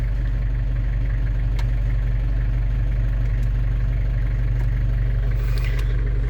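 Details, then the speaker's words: London Taxi diesel with automatic gearbox, started after glow plug light goes out, following gearbox gasket and fluid renewal, before bleeding fluid through the gears: steady even idle with no misfire or clatter, starting first turn, normal. "And then first turn of the key, she's away. Perfect."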